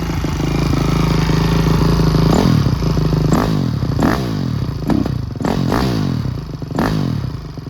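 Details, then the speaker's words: Honda CRF250R after a top-end rebuild with valve clearances checked and head torqued to spec: steady idle with crisp throttle blips rising and falling cleanly, no knocking; runs like a new bike, being heat-cycled for break-in. "i have started it and i have ridden it and this thing is a whole new different bike no knocking or anything"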